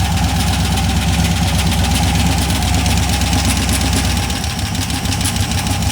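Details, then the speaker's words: Cheap LS 4.8 LR4 V8 on a run stand: fast uneven deep internal knock that worsens with revving; owner suspects a lifter coming apart or a piston letting go, unconfirmed before teardown. "yeah so there's definitely something moving around in there probably a lifter coming apart it sounds pretty fast to be lifter it could be the uh a piston letting go"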